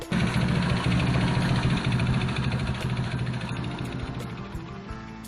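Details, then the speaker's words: Yamaha Mio Sporty scooter before repair: loud rattly idle with a fast hard knock riding the firing beat, about three a second, from worn crank and connecting rod bearing; owner says the noise hurts performance. "Oh, diba? Sobrang ingay. So yan yung gusto ko sanang maalis dahil yan yung pangit kasi pakinggan tsaka nakakababa sa performance ng motor itong ingay dito."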